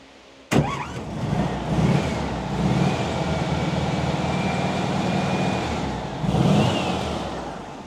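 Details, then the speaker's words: WWII Volkswagen Schwimmwagen engine just restarted after work, air filter off: cranks and catches into a lumpy, hunting chug with surging revs; rough idle because carburettor idle speed and mixture not yet set. "so that's the RPM that the engine's turning over cuz you can hear it's sort of struggling a bit it's a chug chug chugger and then the other thing is the idle mixture"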